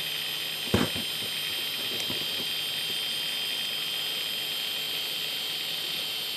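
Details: Faulty hard drive with a very noisy worn spindle bearing and many bad sectors, spinning up and loading Windows: steady piercing high whine with constant hiss and one sharp click near the start.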